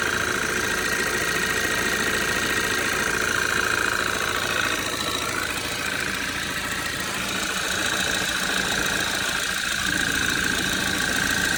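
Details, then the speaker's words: Cold idle, cover removed, on a 2013 Audi 2.0 TFSI gen2 with Stage 1 Revo tune and 150,000 km: a light, fairly even tick-knock about twice a second over the engine hum. Owner suspects a worn piston pin but is unsure. "И что-то вот схожий звук, как с пальчиком, что ли. Но, может, я ошибаюсь."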